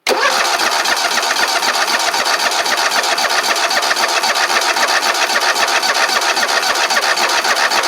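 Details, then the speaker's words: Lokithor J400 jump starter cranking an engine after a long cranking session, pack getting warm; steady cranking at about four compression pulses a second with no catch, cranking speed sagging as the depleted jump pack tires. "you hear it getting a little weak now I've been cranking on this thing forever though there got little tired now"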